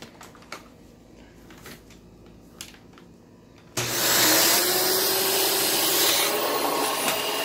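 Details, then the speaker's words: Used vacuum (transcribed "bc18") from Facebook Marketplace: spins up to a loud rushing roar with a wavering drone and a weird wind-down. The resonance occurs only with the cyclone assembly attached; owner believes the assembly needs cleaning. "and there is a bit of a weird wind down but it's only whenever the cyclone assemblies connected so I'm pretty sure the cyclone assembly needs to be cleaned out because that's only that sound only resonates whenever the vacuum is on with the assembly attached"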